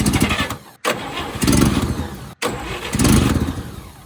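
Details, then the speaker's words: 1958 Chevy Apache truck engine after sitting for decades: repeated cranking bursts that never settle into running; owner wonders if the issue is electrical and adds another hot wire to the coil, after which it runs. "I wonder if the issue is electrical. Maybe I need another hot wire on that coil."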